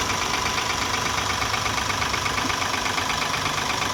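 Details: Mahindra TUV300 B6 diesel after head overhaul and timing chain replacement: steady, even idle clatter with a regular beat and no knocks or rattles; sounds healthy.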